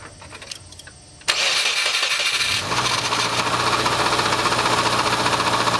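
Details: Subaru Impreza RS engine that knocked after a head gasket fix and a new timing belt tensioner, loudest at 1000–2000 rpm, run with the front timing cover removed: fast, rough tapping of about four beats a second, confirmed as the timing belt tensioner.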